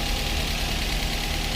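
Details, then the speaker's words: Daihatsu Gran Max 1.3 after engine overhaul for lost compression (hard starting; cylinders 2 and 3 at zero): smooth, steady idle with a low drone and no knocks; radiator fan cycles on and off, showing normal temperature. "Kipas radiator putar kemudian mati sebagai tanda perputaran suhu normal."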